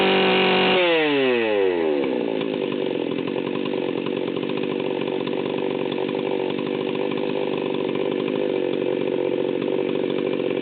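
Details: Stihl 038 Magnum chainsaw, fully assembled, checking high idle at full throttle: sharp rev-up to a steady high scream with uneven, blubbering roughness, about 14,000 rpm; high-speed mixture set super rich, deliberately, for break-in.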